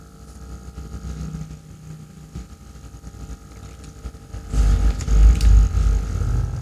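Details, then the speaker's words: Aquarium air pump aerator about six months old, with some outlets giving no bubbles; quiet hum turning into a loud rattling low buzz and vibration when turned up high. "Kalau digas, nah getar seperti ini teman-teman, berisik suaranya."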